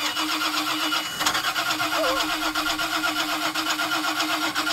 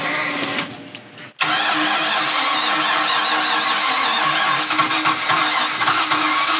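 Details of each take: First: 2000 Mariah boat, 7.4 L 454 MPI MerCruiser V8, after hydrolock, water drained past rings into oil pan: uneven cranking churn never catching; all spark plugs rusted, weak spark; fixed by new plugs and oil change. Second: 2000 Mariah boat 7.4 L 454 MPI MerCruiser V8 after hydrolock, new spark plugs fitted, water pumped out: brief sputter, then catches and runs steady and even, no misfire; engine running again.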